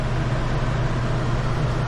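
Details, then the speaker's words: Newly installed Coleman Mach 15 RV rooftop AC set to cool low: fan just kicked on, steady even blower hum with low drone, no rattles or squeals; healthy. "Do cool low so that you can hear me when it kicks off. Fan just kicked on."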